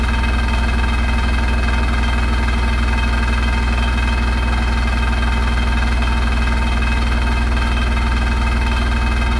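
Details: Hotpoint NSWR843C washing machine on final fast 1200rpm spin: loud deep steady roar with a fast even rattle riding on it; source not pinned down; rattling really loud.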